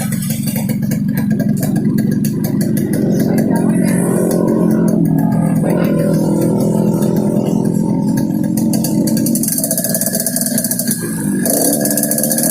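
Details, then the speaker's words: Yamaha RX King two-stroke revved up and down, giving a rough, raspy snoring note that follows the throttle; snoring noise when revving, carburetor noted slightly wet, cause unclear. "Oke kawan, itu saja ya. Ini contoh suara ngorok Ereking Aceh, khususnya Lux Mame."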